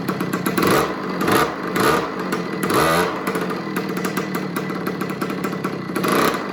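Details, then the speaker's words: 50cc two-stroke mini MX dirt bike, made in Italy, revived with the spark plug tightened and the idle turned down; buzzy crackling idle that picks up cleanly on throttle blips and drops back evenly: normal two-stroke running. "it's just a cool little old two-stroke 50cc MX bike"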